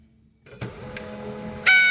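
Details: HP LaserJet 1020 laser printer powered on with the cover open: quiet with a few clicks, then a high, thin whine cuts in late. The laser scanner motor is slow to spin up and is faulty.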